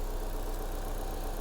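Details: Vauxhall/Opel Insignia after replacing the alternator, found whining via stethoscope as the hum source: quiet, even idle with a soft steady hum, no whine or rattle from the front of the engine; sounds healthy, charging about 7 amps.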